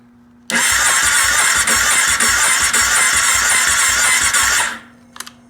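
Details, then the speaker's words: Rebuilt Kawasaki KFX700 that backfired through the intake: the starter cranks sluggishly with slow, uneven pulses and never catches; compression 75 psi front, about 89 psi rear; intake valves suspected not closing, needing shim or adjustment. "okay you hear that it's turning over sluggish there's nothing you're supposed to hear you see what i'm saying so basically you hear the lack of compression"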